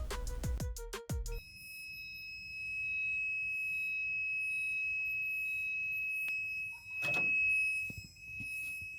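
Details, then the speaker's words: BMW E36 whose idle drops as it warms. A multimeter on the camshaft sensor signal wire to positive gives a steady high continuity beep amid clicks. This was first suspected as a fault, but after further research the owner found all sensors read that way. "Bueno, entonces pues ya cuando yo escuché ese ruidito, ese ruidito es un es el ruido de continuidad en el multímetro porque yo lo tenía conectado al alambre de señal del sensor de los árboles de levas a a un positivo, ¿no es cierto?"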